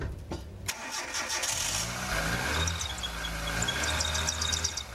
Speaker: that sounds like serpentine bills actually its usual Jamaicans call it the fan belt because first time it used to use the drive the fan